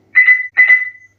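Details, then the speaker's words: SSBRIGHT Avenger SG-13B Bluetooth speaker, powered on but not connected to a phone: two high steady electronic beeps; shorting the faulty mode button on the board stops the beeping, so the button is the cause. "ये देखिए की को short जैसे ही मैं कर रहा हूं तो यहां पर जो बीप साउंड है वो ऑटोमेटिकली ऑफ हो रहा है। यह आप देख सकते हैं। यानी कि प्रॉब्लम इसकी ये जो की है इससे ही आ रही है।"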